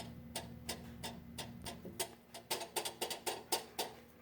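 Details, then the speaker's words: 2015 Victory Cross Country at low rpm: sharp tinny metal taps with buzzy ring when tapping the inner plate riveted to the drive sprocket; dealer suggests rivets backing out, fix by re-seating rivets and sealing the gap with silicone; suspected, not confirmed. "okay so is my 15 cross country and I've noticed a rattle tinny vibrating noise at low rpm and found playing around that the sprocket on the inside wall"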